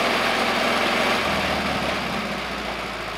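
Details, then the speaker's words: 1950s Caterpillar 955 Traxcavator pony motor, after an oil change and new spark plugs (previously needed ether to start): small petrol engine holds a quick, even idle that eases slightly toward the end, smooth and healthy; normal idle. "it even idles well i can't believe it idles well"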